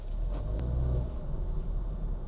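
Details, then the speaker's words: Used Honda Fit GK5 in an underground garage after replacing the sway bar link ball joints and both outer tie rod ends for a front thumping clunk: only a low, even road rumble, no knocks; clunk fixed. "诶，已经不响了，这下真的是解决问题了。"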